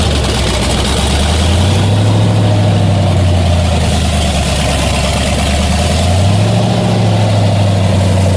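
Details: 1981 Toyota Starlet with LS-swapped L76 V8, twin turbos, after balancer change and coolant refill, running to bleed air: deep steady idle with brief rev rise and fall, no belt squeal; normal.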